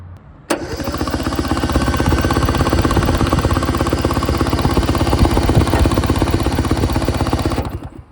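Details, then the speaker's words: 1970 Subaru Sambar pickup off the road for 40 years, cranking after a 12V jumper to the coil: the starter spins an even, quick chug for about seven seconds with no firing; crank-no-start, with a bad coil suspected. "Still nothing. Damn. I have a feeling we probably have a bad coil, so I'm gonna have to order one of those and then we will be back to it."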